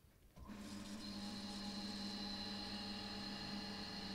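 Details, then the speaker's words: Variable-speed series/parallel bench-top pump test set starting in parallel: near silence, then the pumps settle into a steady, even motor hum with a thin high whine once up to speed. Start-up and running are normal. "there we go we're up to speed okay good stuff"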